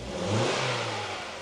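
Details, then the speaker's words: 2015 Hyundai i20 1.4, after misfire diagnosis, started with clutch pressed, good spark plug fitted but original tracking number-one coil still in: catches and revs cleanly with an even beat, firing on all four cylinders. "yep happy with it sounds pretty good"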